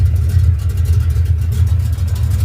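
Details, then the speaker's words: Ford Mustang V8 started after off-road exhaust damage was repaired with a resealed H-pipe: a deep, even idle burble with a steady lope and no puffing or ticking, no exhaust leaks felt at the connections or headers. "All right, sounds great. I don't feel any exhaust leaks anywhere."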